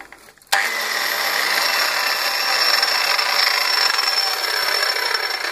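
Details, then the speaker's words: Odwerk 180mm angle grinder after repairing its power switch (came in not turning on): switches on sharply and spins up to a steady, high-pitched whir with no stutter, running normally. "работает. Ремонтные работы завершены."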